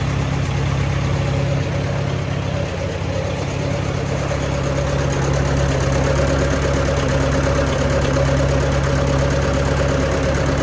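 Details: Allis-Chalmers WD tractor at a steady low idle with a slightly uneven pulse, about two beats a second; owner thinks the carburetor needs adjusting to even it out, after sediment bowl and fuel screen work. Cause suspected, not confirmed.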